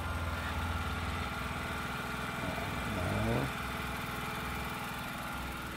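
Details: Pull-start gasoline generator, single-cylinder, just started with choke then returned: steady, even putter with a brief pitch wobble; running normally, voltmeter then used to check for output.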